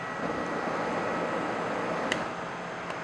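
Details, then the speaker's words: Psycho Brew brewing system burner, after pilot tubes purge air, 90-second ignition trial: short delay, sharp spark ticks, flame proven, then main flame settles into steady soft roar; normal ignition. "when you turn the heat switch on there be a short delay you'll hear a spark flame will be proven and then main flame"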